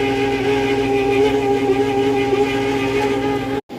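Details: Steady mid-pitched squeal with a higher overtone over the motor hum until it cuts out, from a C-frame fan motor on a refrigerated prep table; the fan pulls air across the pans. Suspected failing motor bearing; the motor is being replaced.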